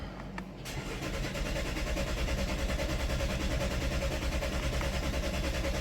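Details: Chevy with 134,000 miles, stored codes P0014/P0017, vacuum pump failure suspected of throwing off the timing; steady starter cranking at about two and a half turns per second for several seconds but it never catches; cranks, no start.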